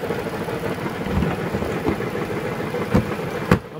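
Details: Dodge (described as a Journey, maybe 2012, also called a van), idling up on a lift. Loud, irregular heavy knocks about every second from the bellhousing area. Rust at the inspection cover points to a broken flywheel/flexplate.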